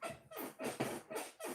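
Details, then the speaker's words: Chair twisted: rhythmic thin creaky squeaks about every 0.4 seconds from the swivel joint; chair squeak. "my chair squeaks you know if I turn it just right you'll hear my chair squeak"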